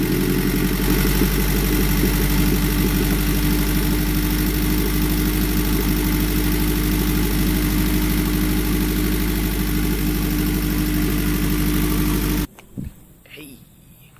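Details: Honda Prelude F20B just fitted with a new Precision 6266 turbo and downpipe: steady, even low idle with a smooth regular pulse and no knocks or rattles until it shuts off; engine sounds healthy.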